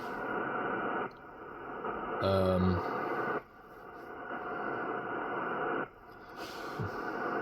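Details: Ham radio receiver picking up a rough, buzzy hiss with a faint whine that cuts in and out, on more than one radio. Radio frequency interference radiated through the electrical system by a Ryobi battery charger.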